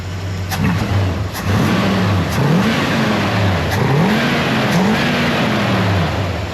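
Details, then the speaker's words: Chevelle mostly stock V8, carburetor with pink accelerator pump cam and 31 pump shot: revs climb sluggishly and hesitate on each quick throttle blip. A bog on throttle snap, suspected from too low a power valve (maybe 65). "There's just not enough. My thinking is that it has too low of a power valve in it."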